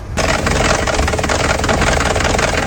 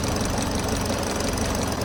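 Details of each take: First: Used Kia Sportage with a replaced engine and recently renewed timing chain and sprockets, shaking badly, code P0017: loud rough idle with a hard clattering knock. The exhaust cam sprocket has slipped with large clearance; cam bearing caps and bearings are scored and there is aluminium powder in the oil pan. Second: Kia Sportage engine after repair: a failed camshaft sprocket that had separated from the camshaft, a scored cam bearing cap, and aluminium debris in the oil pan. After reassembly it idles steadily and smoothly with no knocking or ticking: normal.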